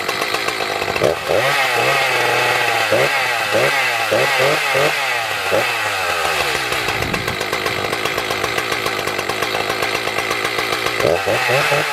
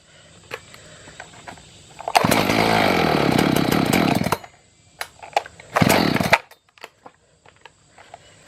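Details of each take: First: Echo CS 590 chainsaw after fitting a new carburetor, no tuning needed: catches after a few pulls, blips and settles into a crisp, even two-stroke buzz that revs cleanly; running healthy, fixed. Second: Echo CS-590 chainsaw on premix, carburetor adjusted and fuel turned up: fires, screams briefly at wide-open throttle, then dies twice and won't keep running; suspected bad carburetor, fuel problem.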